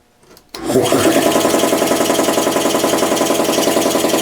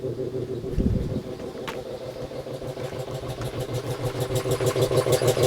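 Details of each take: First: Home-built air compressor, 3/4 hp motor driving a pump meant for 5 hp; steady chuffing about three and a half strokes a second with raspy hiss; pressure leaking past the rings, needs a check valve. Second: Home-built air compressor, 125 psi max tank, used for a year; regular pumping thumps about three per second growing firmer as the tank fills; running strong and healthy.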